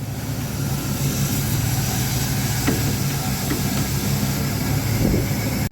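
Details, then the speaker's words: 1997 Dodge B3500 gasoline V8 idling, oil fill cap open: steady airy hiss and sucking as the crankcase draws air instead of holding pressure, from a leaking intake gasket vacuum leak, linked to brake fade. "so not only do you hear air coming through the crank case that's it's not supposed to be like this it's not supposed to be that significant is supposed to have pressure"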